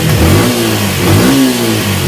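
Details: Yamaha Exciter 150 (last model) after engine repair, with the loose crank-side bearing replaced, clutch redone, and oil and filter changed: it revs up and settles smoothly, with an even exhaust note and no knocking or bottom-end rattle.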